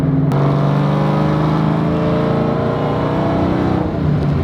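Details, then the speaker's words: SVT Terminator Cobra V8 with new aftermarket headers and Triple S cat-back, on throttle: deep, smooth drone pulling evenly with no ticking, puffing or leak rasp; deepened tone, clean idle, owner suspects the stock manifolds had an exhaust leak affecting O2 sensors. "I really like how it deepened the tone of the exhaust. Not bad, not bad."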